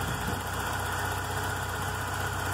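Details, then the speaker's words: VW Golf Mk3 after an engine rebuild, engine still warming up, idle actuator (stepper motor) being disconnected and reconnected: a smooth, even low idle hum with no hunting, misses or knocks; normal idle. "agora vou desativar ele aqui você vai ver que o carro vai vai dar uma acelerada em um pouco acelerado"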